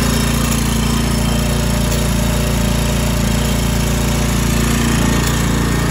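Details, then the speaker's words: Toro Timemaster 30-inch mower, small single-cylinder engine on first start after sitting about five to six months, before tune-up: steady speed, even regular beat, no surging or smoke despite the long-sitting carburetor. "that sounds pretty good actually it doesn't sound like it's surging or anything which would be my concern with uh carb that's been sitting for a while but no smoke or anything dude which is good"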